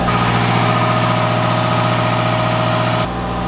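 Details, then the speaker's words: Sailboat's marine diesel, revived after four months of repairs (the other motor and generator are dead), running at steady speed. Even clatter about four beats a second with no knocks, misses or surging; gauges working, good water flow, alternator charging, no smoke or exhaust in the engine compartment. "That is the sweet, sweet sound of a motor running. Gauges are all working. Good water flow. Got charge coming out of the alternator. I will never complain about noisy diesel."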